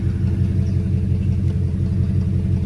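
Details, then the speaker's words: 2003 Ford Police Interceptor V8 after a Cal-Van insert kit repair, warming up and running in gear. Deep, steady rumble under load with an even beat and no stumble; the misfire is fixed and no engine light is on. "I think it's fixed I'm gonna put it in gear and see if it fall on his face [Music] now it's so good"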